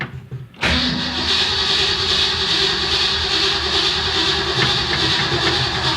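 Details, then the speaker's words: Freshly rebuilt Ford Fairlane V8 that hadn't run in a while, manual choke, in neutral, after pumping the gas pedal: silence, then long steady cranking as fuel arrives before it fires late; choke possibly on too much. "Sounds like it's getting gas now. Well, it fired off. I think the choke might be on too much. Well, it is quite obvious this hadn't run in a while."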